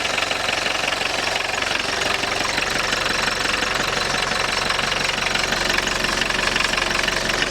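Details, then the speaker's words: Long-sitting Audi 80 diesel at idle with the clutch pedal up: loud metallic rattle chattering about four per second over the clattery idle, which goes away when the pedal is pressed or pumped but can come back; clutch throwout bearing. "Although it can come back the next time I press the pedal And that should be the clutch throwout bearing making that noise"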